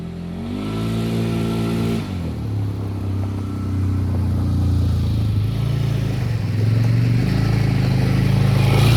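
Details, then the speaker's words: 2002 Polaris Sportsman 500 H.O. after replacing worn primary clutch (belt walking) with Mother Clutcher primary plus spacing bushing; smooth engagement, steady drone climbing cleanly with speed, no clatter or slip; clutch noise reduced, CVT operating normally. "A little bit of spacing, a new clutch, took some noise away from the clutch. That thing engages and grabs real nice, really nice power transfer. Shifting fine now, so we are good to go."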